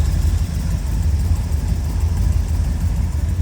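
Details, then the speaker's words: 1931 Ford Model A roadster pickup street rod, 350 V8 with tri-power on an Edelbrock-type intake, aluminum radiator and electric fan, heard at the open engine bay. Deep, even V8 burble with no misses or knocks, a smooth runner. Normal idle. "Smooth runner. Nice tidy engine bay."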